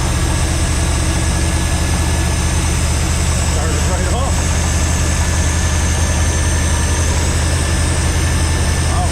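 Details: Junk V8 with two-barrel carb and newly fitted starter, first start: loud, lumpy idle with uneven loping beat and heavy rumble; flooding out and running rich, owner thinks it sounds like it has a cam.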